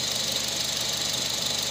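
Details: Nissan Serena idling after repair of an intermittent idle misfire with no check engine light, traced to the cylinder two spark plug: steady, even idle with a smooth hiss and no skip or stumble, all cylinders firing; normal idle.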